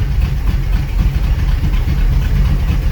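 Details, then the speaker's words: Pontiac Ventura V8 with aftermarket cam and Edelbrock carburetor, not started in 3 years, old fuel; deep lumpy uneven loping idle, running rich, owner suspects carb O-rings flooding fuel, carb needs rebuilding; rough idle. "It's got a cam in it, but it sounds like it's running kind of rich. I know this carburetor needs rebuilding."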